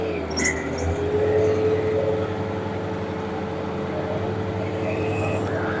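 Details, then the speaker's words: Farm tractor with mower on a 100°F-plus heat-index day in southwest Minnesota, restarted after clearing grass wrapped around the blades: steady low engine drone with even mid-pitched mower-drive hum, no knocks or labouring; running normally. "So I'll get this thing fired up and we'll see what it sounds like here."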